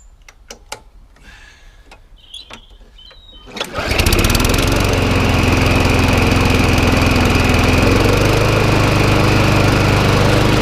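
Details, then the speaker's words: Job-lot McCall Star lawnmower revived with spare parts and new spark plug: few pulls, catches and settles into smooth, even steady run with no misses; running healthy. "she's now up and running just got put a new spark plug in it"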